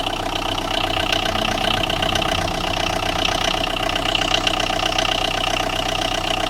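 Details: Tata Indigo with a starting problem, idling: a sharp, regular tapping about three to four times a second over the running note; engine knock, cause not yet found.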